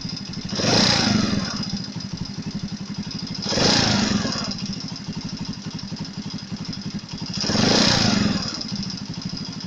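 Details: Chinese Alpha moped engine, warm: three rev-ups with a fast metallic knock on the engine beat, absent when cold; found by stethoscope as a heated head enlarging the camshaft bearing seats, fixed with copper-foil shims. Before repair.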